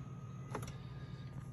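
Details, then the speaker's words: 2014 Mercedes GLK-250 (X205) electric steering column tilt, tested with ignition on after repair and reassembly of the malfunctioning tilt mechanism: quiet, steady motor hum with faint even whine, no clicks or clunks; tilt now works normally. "Let's do a quick check here, make sure that this still works. Yep, I'm turning the ignition back on. There we go. Oh, it's a great feeling."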